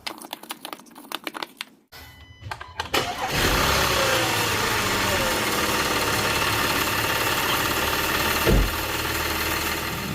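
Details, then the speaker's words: Audi A5/A6 3.2L engine after internal coolant leak repair, restarted for a 15-minute idle while purging cooling-system air: brief crank, clean catch, steady even idle, no knocks, misses or vibration. "all right guys so it's been idling for 15 minutes now coolant is below minimum you can see just a little bit of movement in there but there's no movement at all on the engine there's no vibration"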